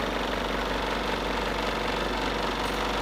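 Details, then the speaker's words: Split air conditioner indoor unit after fan motor bearing replacement and cleaning; earlier noise gone. Even, steady whoosh with faint soft pulse, no rubbing or scraping: normal fan running. "it is sounding how it should sound like."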